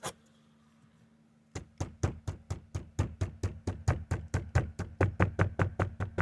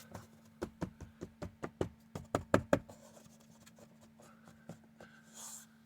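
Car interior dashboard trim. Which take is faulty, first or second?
first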